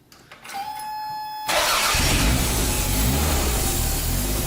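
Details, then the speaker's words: Toyota MR2 on jack stands after fitting a new in-tank fuel pump and plugging it in: starter whirs about a second, engine catches first try and settles into an even, strong run; normal start. "oh my god it started first try there you go"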